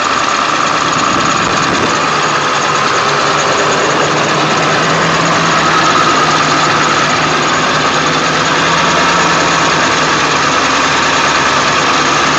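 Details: 1999 Ford F350 7.3L diesel, cold start after sitting for days though plugged in overnight: steady idle with an uneven, lumpy beat and bad shaking, no check engine light; it does not shake after a restart, cause unknown.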